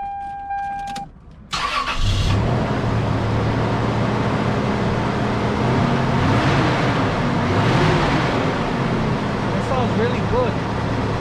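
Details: 1996 Toyota Tacoma with code P0304 (cylinder 4 misfire): the number 4 plug wire had a hole arcing to ground. Started after replacing all six spark plugs and wires. Catches after a short crank and settles to a steady, even idle; normal idle.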